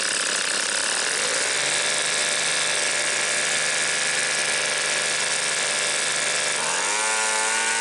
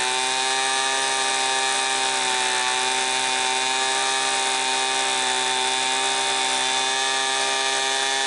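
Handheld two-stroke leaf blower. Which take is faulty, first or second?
first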